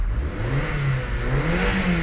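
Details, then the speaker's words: Kia Soul gasoline engine after fuel pump replacement fixed hard starting (previously 8–10 s cranking): clean, even revs rising and falling smoothly with no misses; RPM back to normal. "Okay na rin yung RPM niya So back to normal"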